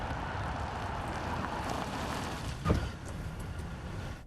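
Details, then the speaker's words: 1997 Buick Park Avenue on acceleration: road rumble then a sharp low thud, clunk felt and heard; drivetrain clunk that can be caused by a binding or grounded-out rear transaxle mount. "okay that did it I can hear it and feel it we found that this concern can be caused by a binding or grounded out rear transaxle Mount"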